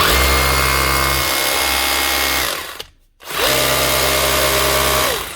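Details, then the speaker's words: Bosch GBH 36 VF-LI Plus 36 V SDS hammer drill, few months old, after replacing the overheating, power-losing motor under warranty: smooth steady whine at full speed, clean spin-down and back up, no grinding or rattle; running normally. "Much better. That's the job, running like she should."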